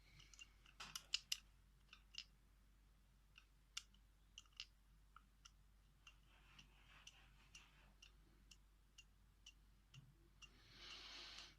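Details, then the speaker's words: Vintage wooden Metamec electric clock, tick function engaged via a stiff rear knob, in a quiet room: light crisp ticks about two per second; the tick mechanism is running properly. "Interesting thing about this clock, it has a tick function. If I raise this up, which ticks at 120 ticks per second."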